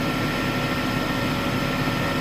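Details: Smithy AutoMate CNC LT1440 lathe after spindle replacement, previously shook badly; even, steady hum with light whir, no knocking or wobble, machine perfectly still; spindle runs smooth and healthy.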